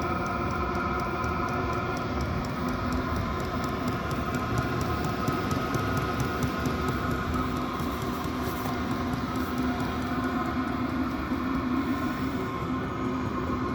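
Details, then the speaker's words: Chinese diesel heater mounted in a tool box as a portable roof-top-tent heater, started on low and then turned up: even fan roar with the fuel pump ticking faster as heat output rises; running cleanly and staying cool. "so it's on low now it's running really good everything's staying cool in here the fuel pump going so you control the heat by the frequency of the fuel pump"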